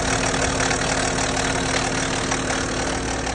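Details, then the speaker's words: BMW N57 six-cylinder diesel, 98,000 miles, cold start: dense metallic rattle from the top and rear of the engine, worn timing chain with a lot of play. "The BMW 4 cylinder tends to make more of a rattling noise with the chain. The six cylinder tends to make this noise."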